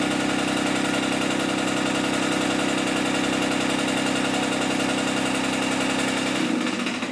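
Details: Diesel-swapped John Deere 400 garden tractor, first start: steady diesel clatter with a dull rhythmic knock about three per second underneath, not the engine but the shortened homemade driveshaft.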